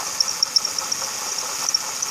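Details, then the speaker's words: 2006 Ford Taurus 3.0L Vulcan, about 130k miles, idling, heard in engine bay: faint irregular high-pitched chirps over a hiss from a worn water pump bearing, no visible leaks; replacing the pump cured the noise. "Okay, that's the alternator there. And it's coming away like it should. Got little chirps coming down there from the water pump."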